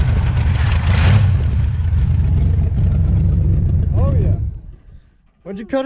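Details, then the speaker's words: 1977 Pontiac Firebird, sat about 36 years, running after revival: deep steady V8 burble with even low rumble, no knocks or misses, then shuts off; normal idle. "for 600 bucks from the scrapyard that thing sounds good"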